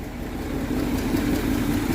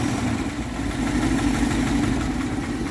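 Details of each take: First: 1962 Dodge D200 with 318 poly V8 and 3-speed, revived after sitting since at least 2013, warmed about 10 minutes, no thermostat, about 140°F: smooth, even idle with low burble, running on all eight. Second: 1962 Dodge D200, 318 Poly V8, just revived after sitting since about 2013: rough idle with lopsided beat and recurring stumble; a miss, cylinder eight suspected, not confirmed.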